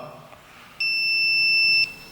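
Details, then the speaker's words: RCBO test, wired from the phase output to the neutral input with a lamp load drawing about 62 mA: the mechanism trips and an earth leakage fault buzzer sounds as one steady, high-pitched tone. "Yani fazı çıkışından, nötr girişinden aldığım zaman içerideki mekanizmam benim açma verdi ve şu anda da arıza sesini duyuyorsunuz."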